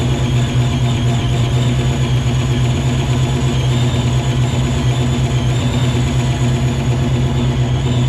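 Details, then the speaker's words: Supercharged 306 in a Fox-body Mustang, first start after Anderson N-51HR cam install: deep, lumpy, uneven idle with a heavy low throb that never settles; ignition timing set low, possibly a tooth off; rough running. "what we got the timing a little low so let me bump that up looks like we are good though maybe his tooth off I'm not sure"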